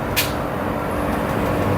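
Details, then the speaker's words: Midea 7 kg top-load washer after replacing the control board with a Super General board: direct spin cycle gives an even low rumble with a brief hiss, no banging or grinding; spin normal. "Now it will start spin cycle, because we know motor, inlet valve, pressure sensor, everything are perfect without any problem."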